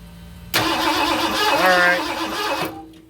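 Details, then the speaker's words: 1978 Ford F-250 flatbed 460 with new HEI ignition, sat about 15 years: starter cranks at steady churning beat, never fires; spark confirmed, no fuel, temporary tank plumbed to fuel pump. "So, we are getting fire. And uh I would really love to hear this thing run. So, what I've done is I have taken a uh an old tank from like I don't know, a lawn mower or something and I've got that plumbed into the fuel pump."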